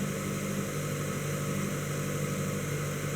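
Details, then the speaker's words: 2012 Mazda 3 2.0L naturally aspirated, 184,000 miles, check engine light on, runs rough and shakes: at idle an irregular stumble, an intermittent misfire that is not severe. "It's not a consistent misfire. I'll say that much. And when it does misfire, it doesn't feel like too like terrible."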